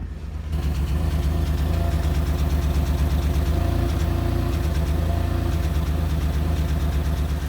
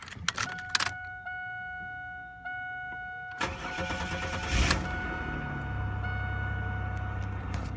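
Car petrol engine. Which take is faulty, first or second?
first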